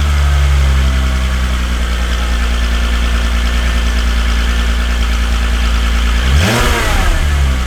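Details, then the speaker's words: VW Golf Mk3 VR6 Syncro after its fuel injectors were cleaned on a homemade test bench (cylinder 4 injector suspected stuck before): steady, even idle, no misses or ticks, a quick blip settling straight back; smooth, slightly high idle, much improved. "Nyt nuo suuttimet olisi kunnostettu ja kuten huomasitte, niin, tai en tiedä kuulitteko te, mutta käynti muuttui ainakin huomattavasti siitä, mitä se oli ja miten se sinne videon päähän välittyy."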